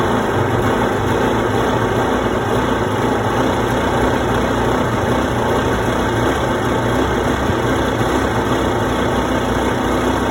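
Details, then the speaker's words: 1992 Yamaha WaveRunner two-stroke, unrun for years, just started on choke: busy uneven buzz with ragged unsteady idle beat; runs a bit rough, attributed to old gas. "so it does start stored pretty well actually that was easy sounds like a little bit weird for now but that's normal it's old gas and it hasn't run for years"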